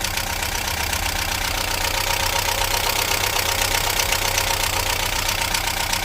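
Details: 1998 Talbot Express motorhome petrol engine (owner calls her an '89) at idle after fuel filter cleaned: steady but slightly lumpy beat about four per second; plugs and new HT leads fine, fuel problem suspected; owner thinks it quiet for its age.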